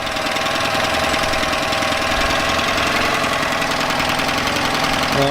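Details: Yamaha 9.9hp outboard after replacing a cracked, dried-out carburetor diaphragm that caused heavy gas leaking; loud fast busy putter holding steady, brief throttle blip near end with no stumble; idling normally.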